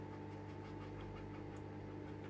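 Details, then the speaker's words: Schaub Junior 50 radio under restoration, tuned to signal generator: faint steady tone barely above mains hum and hiss at 9.75 with half a volt input, very poor sensitivity caused by a broken hairy wire on the upper right-hand coil. "I'm sitting at what's that, 9.75 at half a volt, so not sensitive at all, but I am getting some reception, as you can hear."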